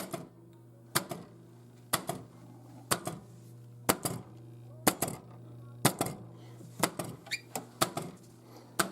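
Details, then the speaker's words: 1987 Williams F-14 Tomcat pinball machine during repair testing: the ball popper solenoid fires cleanly with sharp pops about once a second over a steady low hum, working normally. "the ball popper boy it's popping you hear"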